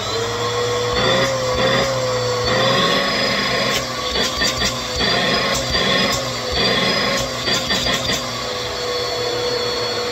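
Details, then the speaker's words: Bissell PowerForce 2191 upright vacuum, washed out and reassembled: steady high motor whine with even airflow rush, no rattles, surging or grinding; motor healthy and powerful. "So, yeah, it works, though. It works well. I'm not noticing any visible motor issues with it at all, but yeah, we got a completely working powerful machine. Runs pretty well. It sounds really good, actually."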